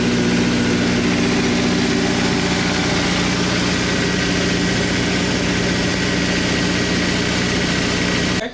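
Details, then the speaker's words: 2004 Honda S2000 just after a DIY valve lash adjustment: a steady, smooth idle with no valvetrain ticking or tapping, purring before shutdown; normal idle. "Okay, we didn't completely F up my S2000. Listen to that. Purrs like a kitten. Purrs like a kitten."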